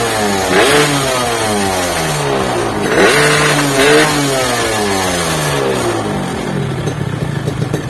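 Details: Yamaha RX King two-stroke, fuel tank not yet fitted, said to lack power and unable to climb hills: crisp revs climb and drop cleanly through throttle blips with no bogging or misfire. It pulls freely; a swing-arm noise is reported separately.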